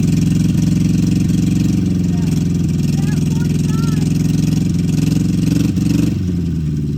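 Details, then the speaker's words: 1964 MG Midget Mk II after 30 years sitting, about 38 psi oil pressure, revved: steady, even low-pitched run with no knocks or ticks; started surprisingly easy, nasty carbs still need rebuilding. "nice good all right well there you have it uh she started surprisingly easy"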